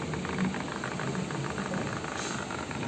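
Steady low rattling whir with a fluttering buzz, no load changes; the cooktop's cooling fan is noisy and starting to bind.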